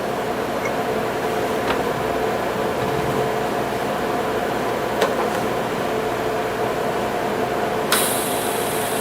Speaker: like I say nothing fancy we're just going to it the buzzing that you hear that's uh that's welding in pulse mode